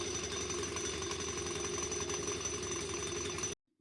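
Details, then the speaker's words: Pleasure scooter making heavy noise on starting: harsh, buzzy rattle with ringing metallic edge while running, then cuts off; worn cover over the self-starter pinion that engages the crankshaft makes the noise; engine to be opened and fixed. "इसका जो self का जो एक pen होता है जिससे आपका जो इंजन का क्रैंक्षाफ्ट के साथ कनेक्ट रहता है तो उसका जो एक कवर रहता है उसके ऊपर उसका वर्ड का लॉस हो जाने की वजह से इतना ज्यादा नॉइस इसमें ए रहा है"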